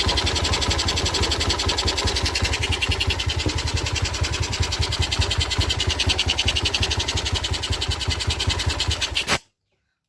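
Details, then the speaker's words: Yamaha Jupiter Z with a manual clutch, idling after the clutch rubber was replaced to cure a clunking clutch: a steady single-cylinder idle with a quick, even beat and no clutch clatter, then shut-off; normal idle. "suaranya sudah hilang glodok-glodoknya karena motor ini menggunakan kopling manual"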